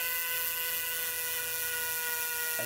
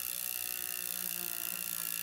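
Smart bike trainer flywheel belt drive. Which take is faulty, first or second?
second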